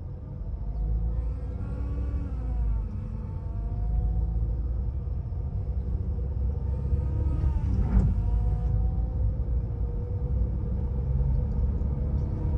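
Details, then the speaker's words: Chevrolet Cruze transmission: steady whining, cutter-like tones rising and falling with engine speed over a low rumble; a broken plastic oil guide in the gearbox stops oil reaching the chain. "nhá tiếng kêu của nó như kiểu tiếng máy cắt eo éo eo éo á cái tiếng này thì trả lời luôn cho anh em biết là vỡ cái miếng nhựa trong hộp số nhá"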